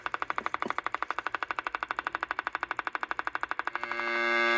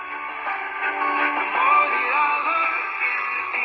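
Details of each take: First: Mid-60s Panasonic R1326 AM 8-transistor 9-volt radio: steady high buzzy squeal after brief rapid ticking, an oscillation traced with a signal generator to an open volume control. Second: Mid-60s Panasonic R1326 AM 8-transistor 9-volt radio after repairing the open volume control: clear, loud music with no crackle, hiss or distortion; audio now normal.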